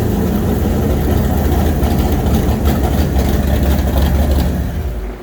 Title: 427w Ford/540Hp Roller cam Engine #3 Going in 1965 Cobra Ran great 👍